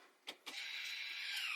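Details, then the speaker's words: 2019 Toyota RAV4 electric parking brake, ignition on, after rear brake service: a couple of clicks, then a smooth electric whir as the caliper piston motor returns and releases; normal parking brake motor operation. "as you can hear the Piston was coming back to a regular position but it stays off so that's why you can hear it coming back and then coming out a little bit because the parking brake is off now without pressing the brake"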